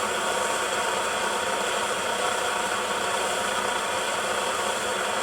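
Loud, even, steady hissing roar with no sputter or surging, a pressure burner running strong and clean.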